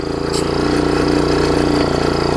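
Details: MTD front-tine tiller small single-cylinder engine after hooking up the throttle linkage correctly to the carb and adjusting throttle: quick even pulse, steady note; normal smooth idle.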